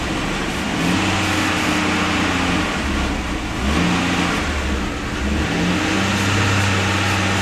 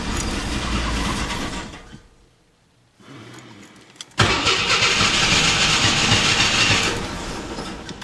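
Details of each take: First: AMC Eagle 258 inline six after TFI ignition upgrade running without the computer, carbureted: even engine note at raised idle with gentle speed rises and falls, no misfire or stumble; all cylinders firing. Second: AMC Eagle 258 after TFI ignition upgrade and coil wiring, first test fire: cranks, catches unevenly and stumbles, then a fast high idle; owner suspects choke installed backwards or a vacuum leak, not confirmed.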